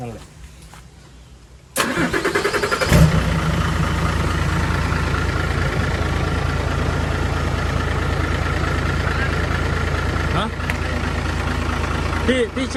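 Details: Diesel engine, weak on power with dirt-contaminated fuel, after bleeding fuel lines: cranks briefly, catches around three seconds and settles into a steady, even idle; starts and runs cleanly.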